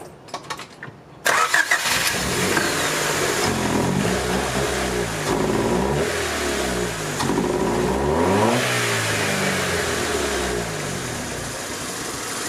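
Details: 1990 Honda Civic Si after a clutch job: it starts, then revs rise and sag unevenly, stuttering under throttle. This follows swapping two white distributor wires and fixing a butt connector. The distributor is suspected, but a new one didn't fix it; timing may be one tooth off.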